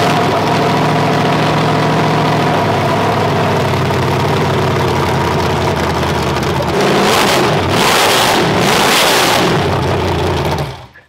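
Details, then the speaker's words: 500 hp demolition-derby build, first start after sitting all winter with water-contaminated oil drained and fresh oil added: strong, even, deep-rumbling idle with clean throttle blips, running well; compared to an LS. "I don't like it. It sounds a lot like the LS. I don't like it because I love it."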